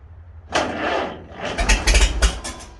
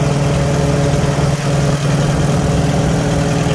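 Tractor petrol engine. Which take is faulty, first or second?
first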